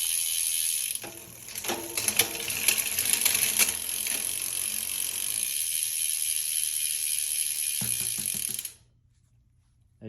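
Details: Cannondale CAADX with new Hollowgram wheels, XD-R freehub, 10-42t GX 11-speed cassette, 48/31 GRX crankset and Kogel pulleys, shifting on the large chainring: fast light freehub ticking with crisp chain clicks, no grinding or skipping; normal shifting.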